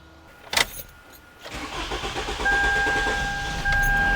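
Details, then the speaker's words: Toyota Camry with codes P0171 and P0101, losing power and hesitating on acceleration; the starter grinds over with uneven chuffs through a long crank before the engine catches and idles, check engine light on. Hard start. "so right there I hope you heard that long crank the engine cranked for a while for a little bit before it started"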